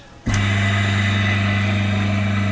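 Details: 1/2 HP water pump motor after capacitor replacement, earlier drawing 15 A instead of 5 A at start and tripping generator: snaps straight to a steady, clean low hum, no drag or hesitation; normal start.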